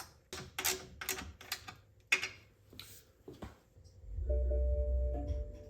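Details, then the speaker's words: BMW 750Li cabin after replacing a bad amplifier (speaker, 12 V power and fiber optic connectors refitted): after a few handling clicks, a steady two-tone warning chime sounds clearly over a low hum; chimes and radio now work. "All right, so already the dings work. And we got radio, so there you go."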